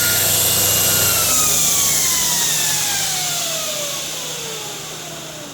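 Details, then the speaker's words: 2x72 belt grinder after slight tracking adjustment: loud smooth hiss with a clean descending whine as it spins down, no knocking or flutter; tracking true, normal healthy running. "beautifully yeah so the tracking beautifully running beautifully everything's working great in that"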